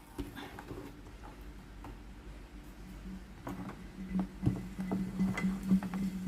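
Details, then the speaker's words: Philips PSG 7014 steam iron that would not power on, running with the faulty power switch bypassed (switch contacts bad): soft ticking and crackle, then a low steady hum as the boiler heats and boils normally. "ต้มก็ได้ยินเสียงต้มน้ำเนะครับ"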